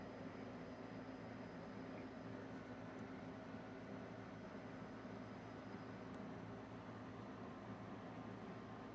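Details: OnStep telescope mount servo motor, driven by DC from an ESP32 with encoders read by an ESP8266 encoder bridge, just booted and tracking: quiet, steady low whir of even pitch without grinding or catching, normal servo slewing.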